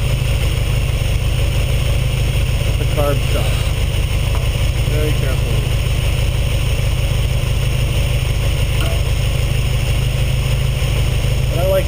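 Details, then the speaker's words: Ferrari 308 GTS after carburetor swap and carb sync: steady, even idle with smooth low burble, no misses or hunting; carbs balanced, idling cleanly. "it idling about where it is. I'm happy with that."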